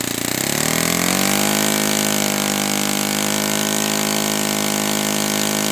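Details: Brand-new Saito FA-100T twin on a test stand, first break-in run: fires up, climbs to a steady high buzz and holds it evenly with no surging or sag; rich with oil dripping from exhaust, not lean, healthy.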